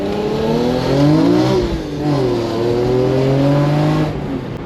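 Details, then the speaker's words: BMW E46 M3 with Turner Motorsport CSL airbox, MAP sensor conversion and modified ECU, driving under load in the upper rpm: strong, clean six-cylinder note with a deep intake roar, no knocks or rattles. Normal intake sound, more power felt. "you can hear the intake seems stronger to me definitely feel the difference in power yeah and you can definitely hear the intake once you get in the upper rpms"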